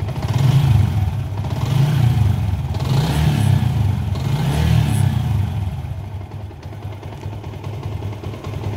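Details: Yamaha Sniper 150 with error 46 and 96, after push start, battery voltage rising toward 14 V: repeated throttle blips rise and fall smoothly over a steady low rumble with no misses or rattles; normal revving.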